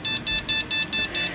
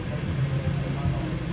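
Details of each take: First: Rapid, steady high-pitched beeps, about five a second, from a beeper speaker on the motherboard's 4-pin speaker header of a PC that runs with no display; this beep code indicates a RAM fault, fixed by swapping in a good RAM stick. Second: Desktop PC with no display, after swapping in a known-good RAM module: low hum, then one short high POST beep; monitor green light comes on and display appears, normal boot.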